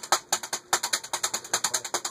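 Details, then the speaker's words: Modern Fan Co Industry ceiling fan, stack motor, on high in reverse: sharp regular woody ticks about eight per second keeping pace with the blades; loose plastic striking the fan blades. "It's going to affect the spin down time with the plastic hitting it. So, I'm just going to stop it by hand and I'm going to see if we can move this plastic out of the way."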